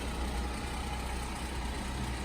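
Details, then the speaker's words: 2016 Mercedes GLE 350 rear-drive (W166) idling like at traffic lights, heavy low buzz with faint rattle from a failed, oil-leaking engine mount under the exhaust manifold, before replacement with a cheap aftermarket mount. "When your Mercedes rattles like this at traffic lights, there's only one thing that could be wrong and we're going to show it to you."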